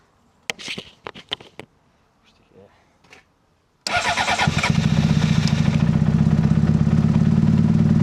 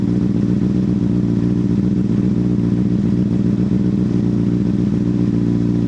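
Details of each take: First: 2005 Honda CBR600RR started after dead battery was charged overnight and refitted, fuel pump primed: a few clicks, then it fires and holds a loud, fast, steady rev instead of dropping to idle; owner suspects throttle is stuck. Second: 2005 Honda CBR600RR after dead battery recharged and refitted, warming up after sitting: steady, even four-cylinder idle with smooth low beat, no knocks or misses; normal warm-up idle.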